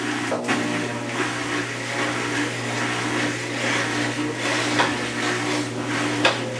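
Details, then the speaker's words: Maytag Centennial Commercial Technology washer, about 14 months old and overloaded for the demo, spinning after the rinse, heard from about five feet away: motor hum under loud, uneven rumbling and rattling at an estimated 100–110 dB; noisy spin, cause unknown. "I'd say the level is 100 decibels maybe 110 when all that noise is going on is deafening"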